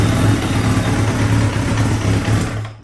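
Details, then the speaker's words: 2000 Kawasaki Ninja ZX-7R 750 inline-four, previously no-crank no-start, fixed by grounding the CDI box ground wire, started right up: steady, even idle with a smooth low drone and no knocks or misses; normal idle. "And as soon as I touched it to the ground, bro, she started right up. And this engine seems to be good because let me show you."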